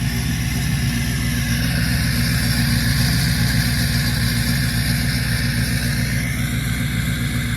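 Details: 6.7 diesel truck in winter: steady, even diesel clatter at idle with no misfire or knock; healthy.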